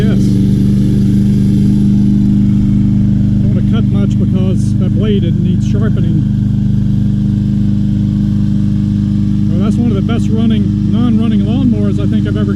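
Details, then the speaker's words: Free 2020 Craftsman M320 self-propelled mower, 163cc Briggs & Stratton, said not to start, starts easily and keeps running with a clogged air filter, self-propel engaged: steady, even low drone, no surging or misfiring; normal running. "put this in and see if it stops no it doesn't wow and it still runs with that air filter trying to self-propelled"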